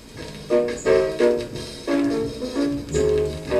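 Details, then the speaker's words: Vintage 1960s Newcomb 1625M tube turntable/PA amplifier run through a series light bulb: music harsh, fuzzy and barely tracking the groove; stylus worn to a nub, though owner wonders if the reduced voltage is to blame; distorted playback from worn stylus. "distortion. It could be because the stylus is just plain old worn out. It's barely tracking it."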